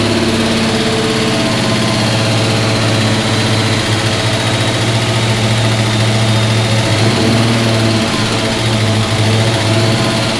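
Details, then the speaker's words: 1971 Pontiac GTO first start in 5+ years, new fuel tank: steady, smooth V8 idle with an even low burble, no ticking or knocking; 60–70 psi oil pressure while running, headers burning off dust. Normal idle. "alright guys so there it is runs was making what did you say claims 60 70 pounds oil pressure 70 when it was running so that's pretty good"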